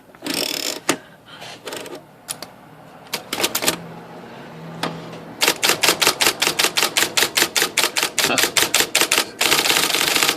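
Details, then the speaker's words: IBM Selectric I (probably 13-inch, carbon ribbon) after repair of the banging and shaking on certain characters, case back on, typing X: crisp, even keystrokes with no banging or rattle, seems even quieter; normal typing. "This seems even quieter."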